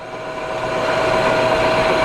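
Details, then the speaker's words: Cheap used non-CNC manual lathe, chuck running forward: steady even motor hum with clean high tone, no knocks or grinding; spindle runs smoothly. "có vẻ ổn được rồi tắt ngược lại âm thanh khá tốt cho đến nay"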